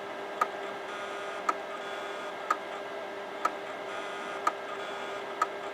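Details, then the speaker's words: Imation LS-120 SuperDisk drive that can't read a floppy: sharp click about once a second over faint motor whir, endless head recalibration; owner suspects damaged or extremely dirty heads, drive likely hopeless. "Yeah, the drive heads must be damaged in this one, or they're extremely dirty. That's the only other reason it could be trying to calibrate so much."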